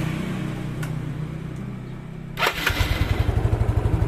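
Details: Old Yamaha Mio single-cylinder scooter after valve clearance set slightly loose to cure hard starting: stalls briefly, cranks and catches at once, then settles into an even, quick putter about four beats a second.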